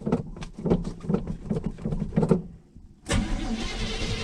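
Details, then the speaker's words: 1983 Chevrolet C20 truck, first start attempt in about seven years on a borrowed battery after backfires: slow uneven cranking about three beats a second that sags and stops, then retry; battery getting weak. "oh battery's getting weak i'll go turn that up see if i can help"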